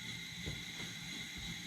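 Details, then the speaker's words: Coleman 500 white-gas stove after preheating, set full then back a quarter: earlier spitting from liquid fuel gives way to a steady, even hissing roar with no sputtering; normal burner roar. "Oh yeah. We're going to go full and back a quarter. Now we've got a nice burn."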